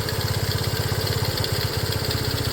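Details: Restored custom Honda CT90, fuel mixture screw not yet adjusted: quick, regular single-cylinder putter holding a constant pace with no misses or rattles; a healthy small-bike idle, with a slight intake sucking noted.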